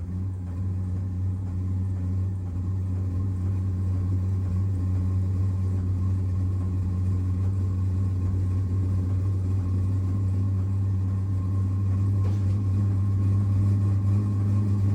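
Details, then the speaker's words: Vevor portable diesel heater, model S590136S1, running just after start-up at 14°C and 1 km elevation; owner says it was probably over-primed and a little exhaust smoke shows. Steady low hum with a soft, even pulsing about three times a second, running cleanly and quietly. "That's definitely quiet. You can hear the fuel pump, but it's quiet."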